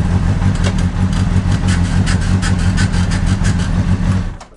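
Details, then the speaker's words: Cheap, beat-up, repeatedly dropped motorcycle that runs but has a mystery squeaky noise and crunchy brakes. It runs loud and uneven with a ragged, lumpy beat and scattered light ticks, something clearly off. "so hopefully you can hear something's rotten in denmark with how this thing sounds maybe you can hear the brakes they're a little bit crunchy"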